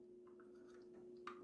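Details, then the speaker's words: Jaguar XK8/XKR cupholder lid, after lubrication: two sharp plastic clicks at full open as the lid bottom hits the cavity floor; owner plans a sticky felt pad as a buffer. "touches right here, the bottom of this cavity, and you get this clicking sound."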